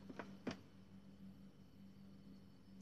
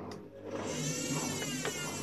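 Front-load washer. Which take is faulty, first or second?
first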